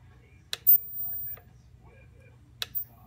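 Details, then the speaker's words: Dentsply Cavitron SPS dental scaler: two crisp single clicks about two seconds apart in a quiet room as the foot pedal is pressed; the water valve solenoid switching normally. "you gotta listen to the unit to see whether it makes a click when you step on the pedal if it if it works it sounds like this"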